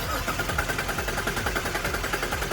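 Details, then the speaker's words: Jeep with a cylinder 3 misfire code, cranked in flood mode with the throttle floored. The quick even cranking beat has no irregular clacks, so the valvetrain is healthy and the coil or spark plug is suspected; both are to be replaced. "and she sounds great so with this little test we know it's either the ignition coil or the spark plug but let's replace both for under 60 total"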